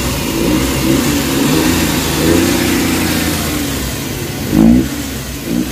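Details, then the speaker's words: Suzuki K6A engine after IACV idle-up fix: revs climb smoothly and settle with aircon on, no vibration or hunting, previously shook at idle with AC on; healthy rev with AC load. "ang gagawin natin i on nating aircon Tingan natin kung mag-vibrate to ba So ayan nakita niyo wala ng vibrate medyo tining na yung andar"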